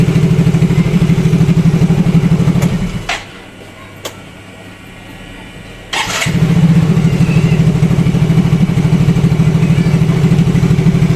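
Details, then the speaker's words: Yamaha Mio Fino 125 fuel-injected scooter after adjusting the idle speed control (ISC) via its hose: engine cuts out briefly, restarts, then settles into a steady, even low idle without throttle; normal idle. "coba nyalain jadi ini enggak saya pegang ya untuk e kondisi gasnya tuh ini normal ngangsap"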